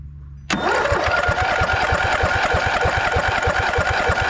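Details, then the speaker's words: Snapper LT200 riding mower cranks but won't start: starter turning engine about three turns a second, no firing; ran briefly on fuel poured into carburetor, fuel bubbling in filter, fuel supply issue, fuel pump suspected. "I go to start it the other day, cranking over, but no start. I put a little fuel into the carburetor and she started up and died down once that fuel was gone. So now I know I have a fuel issue."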